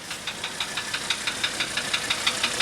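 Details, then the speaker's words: 1985 Mercedes 300D diesel idling on diesel purge after valve adjustment and new glow plugs: sharp metallic ticking about six times a second, steady over a quiet idle. Knock cause not yet found. "Anyway, if somebody can help me out with this knot, kind of give me an idea what you think it might be."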